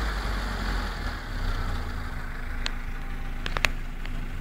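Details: Engine idling after a hot start with an uneven tapping knock under the steady hum; the source of the knock is unknown.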